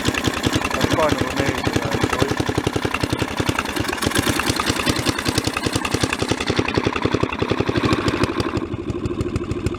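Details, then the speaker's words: Mid-1980s Snapper rear-engine rider with 11 hp Briggs & Stratton commercial L-head single, revived after four years sitting, running about half an hour including full throttle; quick, steady firing beat, no smoke; runs well though ignition pops and spits. "overall the motor sounds good [Music] i actually had it right up in full throttle there for quite a while and that was good"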